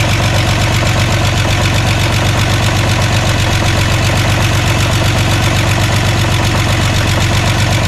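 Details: VW Jetta just restarted after a clutch job, cold idle: light fast ticking of about two to three a second from new lifters, expected to stop once oil pumps them up.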